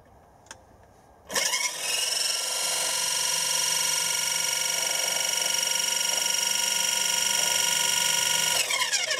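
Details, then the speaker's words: Wood-turning lathe after belt replacement: spins up to a steady high thin ringing whine at one pitch, then winds down; odd noise persists after opening the back, cause unknown. "making a funny noise take the back off again and unplug it"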